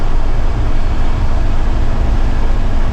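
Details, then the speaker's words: Mercedes Vario truck, former horse box, diesel at full throttle in fifth gear, 2,750 rpm at just over 50 mph: loud steady drone with revs high for road speed because the rear differential ratio is too low. "Because I'm turning my truck into an expedition type camper, I wanted [music] a much taller ratio diff because right now you'll be sitting on the motorway at 50 miles an hour with the engine screaming and it's just not a pleasant experience."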